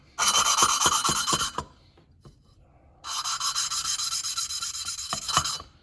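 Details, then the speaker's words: John Deere D105 mower, Briggs Intek engine, during a rebuild after a dropped valve: hand-lapping a cleaned valve with a little compound gives raspy back-and-forth grinding, then smoother rubbing as the seat forms. "what i'm gonna do is put a little bit of this on here just a little bit laughing compound and i'm just going down slowly don't do too much but you can hear it change"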